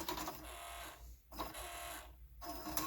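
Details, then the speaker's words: Kenwood KRC-980 car cassette deck; the tape ejects within seconds on both A and B sides. Short bursts of whirring with dead gaps as the motor struggles to spin the tape; cause unconfirmed, possibly a belt. "So you can hear the motor trying to spin and hear it struggle to get the cassette going. But anytime I insert it, right now it's on the B side, doesn't work."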